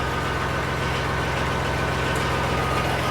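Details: Massey Ferguson 240 diesel tractor just after injector pump rebuild (leaking gasket, fuel shutoff and throttle seals): steady even diesel clatter at low settled idle, no misses or knocks; healthy running, no leaks seen.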